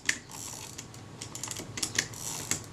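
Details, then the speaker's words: Kodak Retina IIa camera film advance lever wound after servicing and reassembling the frame counter disc: crisp ratchet clicks and light gear whirr with no binding or slipping; film advance works normally and frame counter operates. "it does and we have a frame counter"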